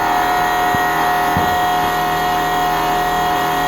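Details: 1999 Nissan Frontier VG33E turbo Fuelab electric fuel pump, first run after priming, regulator at minimum, about 22-23 psi: even high whine, steady electric buzz, faint fluid hum, no sputter or surge; air purged, running normally.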